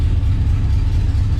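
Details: 1967 Pontiac Tempest station wagon, first start on temporary jumper wiring to the distributor: smooth, even idle with a steady low burble and no ticks or knocks, 60 psi oil pressure; runs healthy.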